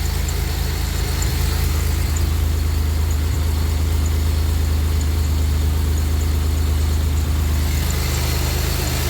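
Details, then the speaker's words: 2007 Grand Prix supercharged with rebuilt intercooler running, first startup after the install, 66° intake air temp, slight exhaust leak heard; smooth, steady, even idle hum with no knocks or ticks, no leaks seen, running healthy. "Nice and smooth. Sounds much better."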